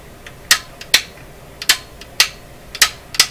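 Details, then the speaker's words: Restored Canadian RCA Victor Model 5T5 radio power switch operated on and off, listening for a late click heard previously; crisp clean clicks with no lag or scratch, late click no longer heard, normal switch. "so I'm listening for is when I operate the switch that click comes late that's what I'm listening for I don't hear that"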